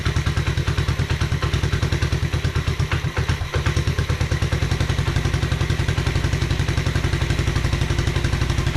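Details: 1986 Honda Fourtrax 125 after carburetor cleaning: quick, even single-cylinder putter with steady rhythm, no misses or surging, idling cleanly; normal running.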